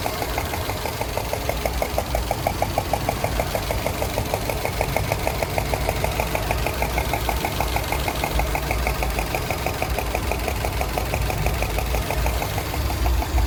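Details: 2007 Subaru Legacy GT EJ255 engine, warm idle: sharp, even tapping about three times a second; engine tapping/knocking at idle, cause unknown.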